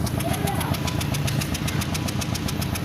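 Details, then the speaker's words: Car still misfiring after new spark plugs and ignition coils, idle about 900–950 rpm, light throttle, mic at tailpipe: low exhaust rumble with sharp puffs about eight a second, engine missing from a faulty injector. "اور گاڑی کو جو ہے نا ایکسیلریٹر دے کر دیکھتے ہیں کہ جو ہے نا کیا مسئلہ ہے گاڑی مسنگ کر رہی ہے"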